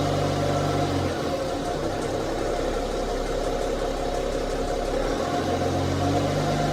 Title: bmw 530d ticking noise